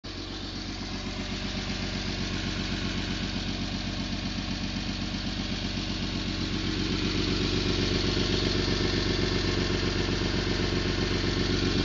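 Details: 1991 Toyota Land Cruiser FJ80, 3F-E 4.0L inline-six, 229,000 miles, idling with a loud, rapid puffing tick: exhaust leak around the leftmost catalytic converter and O2 sensor.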